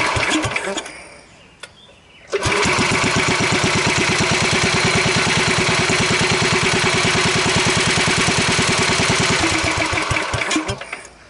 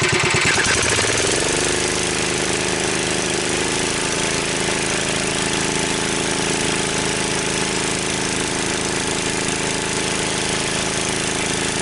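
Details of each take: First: Wheel Horse 753 garden tractor after refitting electric start: engine catches after a couple of tries and settles into an even, steady beat with no rubbing. A hot guard was rubbing before being bent clear; the charging system reaches 12.8 V. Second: Wheel Horse 753 single-cylinder tractor with electric start refitted: a steady run with a hard, rattly chatter that grows worse; flywheel checked and still tight, so the noise is traced to a rubbing guard.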